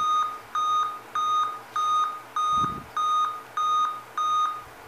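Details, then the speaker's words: Dell Inspiron 14 laptop at power-on: eight evenly spaced high beeps, about one every 0.6 s, in a quiet room, with distorted screen image; 8-beep POST code for a display fault, likely screen or flat display cable. "8 bits pessoal vou desligar aqui seguinte esse problema pessoal eu já fiz um vídeo aqui no canal já tem um vídeo aqui no canal falando sobre esse defeito no delta 8 bips é quando o problema está relacionado à tela"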